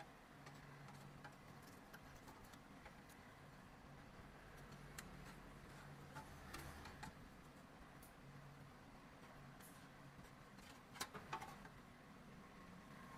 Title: Bike chain noise problem